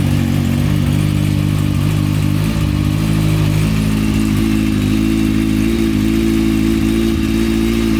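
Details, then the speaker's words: Motorcycle after front end swap and stunt chain conversion, with a new small-can stunt exhaust fitted: loud, steady exhaust drone with a deep low beat and some mechanical clatter, pulling evenly; normal running. "I mean I like it it runs it runs sounds it sounds like it's running really nice now"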